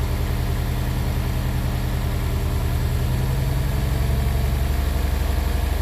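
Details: Honda S2000 engine: uneven, stumbling idle with a lumpy low throb that keeps missing a beat, one cylinder misfiring, cause not confirmed; engine misfire at idle.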